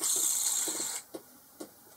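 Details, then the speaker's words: Boxford lathe drive unit bearing, removed and spun by hand: a dry, gritty rasp that dies within a second. The grease seems to have escaped, so new bearings are needed. "Spin the bearing. It sounds as if there's no grease in the bearing. I think what's happened is the grease has escaped somehow."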